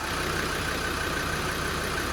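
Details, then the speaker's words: Land Rover Defender 90 Td5 diesel just started after top-end rebuild, smoking, held at idle for turbo oiling: steady, even smooth rumble with no tapping or knocking; sounds healthy. "Oh, we have a lot of smoke. You know what? It sounds really good."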